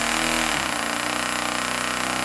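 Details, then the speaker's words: StirlingKit RW-BL1K live steam engine model kit, newly assembled, test-run on compressed air given sparingly: quick, even chuffing settles into a steady rhythm as it comes up to speed, no knocks or binding; normal running, sounds beautiful. "That sounds beautiful."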